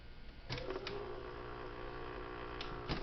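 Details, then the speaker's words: Old outdoor fountain pump motor, plugged in, not yet in water: steady low mains buzz with no spin-up or water sound, like a dry unprimed pump humming; motor buzzing when powered. "folks that's on did you hear it or at least it's buzzing here listen"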